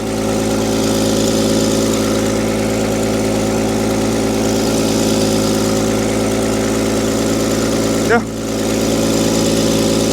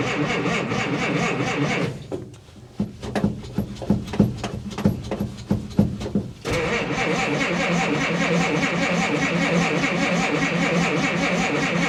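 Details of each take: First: Willys jeep barely run in 25 years, cold-started after a 25° night with choke, cranks right up; smooth, even idle with steady low hum, no ticks or knocks; normal idle. Radiator has a slow centre leak. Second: Old Willys truck in cold, rainy weather with broken choke cable, cranked without choke: starter churns the engine in several long bursts but it never catches; cold no-start for lack of choke.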